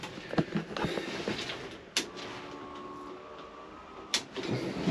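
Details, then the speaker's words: Fuel pump primed by burping the key switch: click, faint steady electric buzz about two seconds, another click; primer bulb now fully inflated with fuel, pump priming normally. "switch on for a second, and then I come back down here, I think our primer bulb is a little better. Yep, see, now it's fully inflated."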